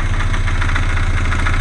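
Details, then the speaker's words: 1380 petrol engine idling with plenty of oil pressure: quick, regular knock pulsing through the low rumble, coming from the flywheel housing; knocking a lot, owner doesn't want to run it longer. "it's knocking a lot. Don't really want to run it any more than that. The noise is coming from the flywheel housing in there."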